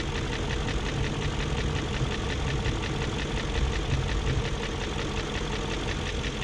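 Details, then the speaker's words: 2001 BMW E38 740i idling after Vanos rebuild and replaced Vanos distributors and intake cam-end gaskets: light quick tick keeping time with idle over steady hum; lifters checked, plugs tight, no codes, persistent top-end tick, cause not yet found. "i replaced the vanos distributors the camshaft gaskets that were on the end of the intake cam and it's still making that ticking"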